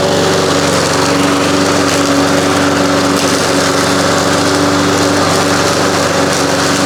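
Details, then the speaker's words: 1993 Toro Recycler II mower, Briggs engine, after no-spark repair with replaced ignition coils and damaged flywheel, cutting grass: steady, even buzz at constant pitch, no misses or surging; running properly under load. "Outside of my 1985 Mercury 20 horse outboard motor, this mower has been about as frustrating a job as I've done in a long time. I can't believe it's running."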